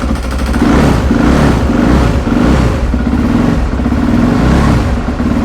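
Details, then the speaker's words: 2008 Suzuki RMZ450 after a total rebuild and auto-decompression fix, started after four or five kicks: single-cylinder revving in smooth rising and falling surges with even firing and no knocks; normal revving, though it won't idle yet because idle is low. "sounds pretty good. Okay, it does not want to idle yet. That's a problem for another day."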